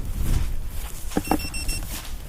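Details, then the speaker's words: Hellgate FPV lost-drone buzzer, battery-backed, on a downed quad searched for outdoors in wind: faint high shrill beep in quick short pulses, like beep beep beep, over rustling; lost-model alarm beeping. "so it's quite a different noises well it's like a free beep like a beep beep beep"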